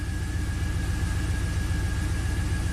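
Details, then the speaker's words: 2004 Pontiac GTO, 5.7 LS1 V8, 6-speed manual, 34,000 miles: a deep lumpy idle with an uneven stumbling beat, feeling like a single-cylinder misfire; misfire counters climbing on cylinders 1 and 8. "So let's start it up, see what it does. It's definitely misfiring. 1/8's counting up. One and 8. It does feel like a single cylinder."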